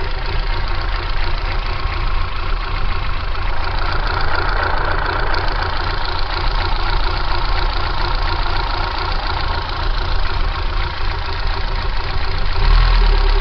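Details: Kia Pride engine idling with abnormal shaking: low idle with an uneven, lumpy throb that never settles; rough idle, cause unknown.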